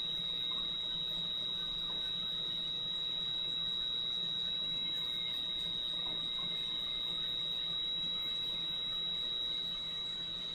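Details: Valve grinder dressing the back of a valve head as it is run back and forth, with lubricant flowing: a steady, high, thin squeal at one pitch. Normal grinding, so the valve sits flusher on its seat for better compression.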